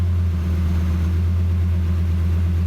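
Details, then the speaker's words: Cheap Lamborghini, just started: the idle flares to about 1800 rpm, then settles at 1100 rpm into a smooth, even idle with no misses or knocks, idling pretty nice. "it went up to around 1800 rpms and then just went down to now it's at 1100 it's actually idling pretty nice"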